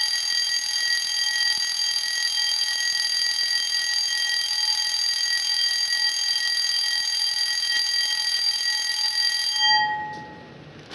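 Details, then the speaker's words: 1987 12-volt intruder alarm bell from a CQR vented bellbox, full test: loud continuous metallic ringing with fast even strikes from the twin metal tongs for about ten seconds, then a clean stop; working normally. "anyway you've got the proper noise of an intruder alarm bell so is the full test"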